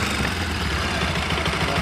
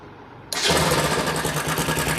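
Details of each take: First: Bajaj Pulsar NS 200 after timing chain and tensioner replacement and timing setting: steady idle with a light, even patter about seven times a second and no chain rattle; idles smoothly and healthily. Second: Bajaj Pulsar NS 200 before timing chain replacement: fires up and idles with a fast, light metallic clatter over the engine; worn timing chain and tensioner rattling.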